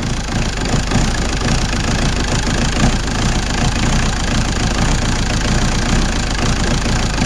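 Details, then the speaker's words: Ford 1.8 TD diesel in a Sierra, just after timing belt replacement, started on the starter: steady diesel clatter at even idle, no misses or hunting; starts and settles smoothly, timing correct. "ça marche voilà notre distribution est remontée donc voilà notre distribution est montée le moteur il marche il démarre tout nickel"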